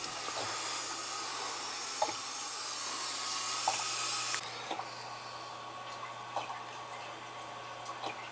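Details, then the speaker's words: Residential boiler with a suspected leaking relief valve: the first-floor hydronic zone is purged, giving a loud hiss of venting air, then a softer trickle and drips, as air leaves the loop. "I'll probably purge this one here to get if there's any air in there to get it out."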